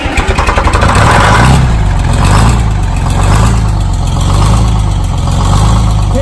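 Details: Detroit Diesel 6-71 started after a spray of ether: diesel chuffs through a few uneven firings, then settles into a steady low idle with an even rhythm; runs fine.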